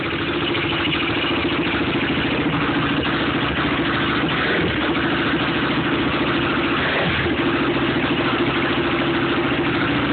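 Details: Yamaha YFZ 450 first start after top-end rebuild; fast, even idle holding steady with no tapping or knock over the exhaust, running cleanly.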